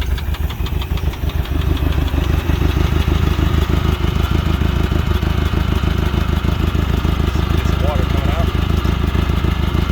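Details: Glastron Carlson CVX-16 boat engine restarted on the first day of a rejuvenation project, after covering the last intake holes, to check it blows water out; regular low thumping about three beats per second over a steady drone, idling without stalling.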